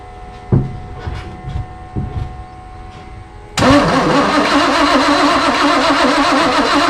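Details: Off-road recovery tow truck after wiring rework and carburetor replacement, fuel pump running: a few cranking thumps, then catches and settles into a steady, slightly rough idle; runs again, tuning still needed.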